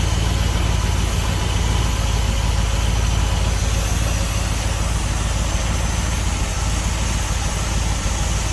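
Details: 1976 Dodge D200 after tune-up with new cap, rotor, wires and plugs plus oil change, timing not set (no timing light): steady smooth low idle rumble, no lifter tick, knock or miss; normal idle.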